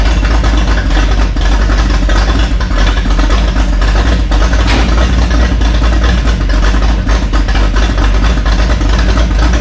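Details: Rat rod with carburetor work done, oil burning off the headers: loud, deep, steady idle with an even beat and no misses, knocks or surges; oil pressure about 60; normal idle.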